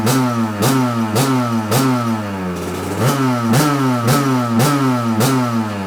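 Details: 1993 Kawasaki KDX200 two-stroke after new piston/top end replacing presumed original piston, just started on choke: crisp blips, pitch climbing and falling cleanly, no rattle or misfire; top end healthy.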